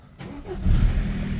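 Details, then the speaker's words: VW Passat diesel restarted after a broken hose was replaced; brief starter whir, then it catches almost at once into a steady, even rumble, a normal quick start. "elle démarre maintenant sans aucun problème, la pression s'est accumulée probablement"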